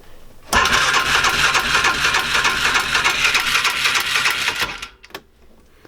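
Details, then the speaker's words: 2005 Polaris Ranger 500 UTV, bought non-running: in neutral with choke on, the starter spins the engine at a steady ~200 a minute for four seconds but it never fires; cranks, no start, cause not yet confirmed. "okay let me just show you guys how it cranks let's just cut to the chase and do that"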